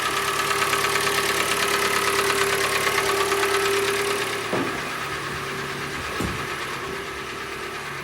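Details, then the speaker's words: 2014 Hyundai ix35, G4NA engine, 87,000 km, cylinder scoring and heavy carbon on pistons; cold idle with a steady hollow knock about three beats a second over the engine note: piston slap. "хорошо слышно Ох как поршнек перекладывает"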